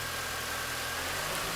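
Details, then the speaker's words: 2001 MINI Cooper R50 idling with fuel pressure gauge on the rail reading 50 psi; short, even idle with steady hiss, no knocks or misses; engine running okay, normal idle. "see what we get this time so there's our pressure straight up to 50. the engine is actually running okay at the moment"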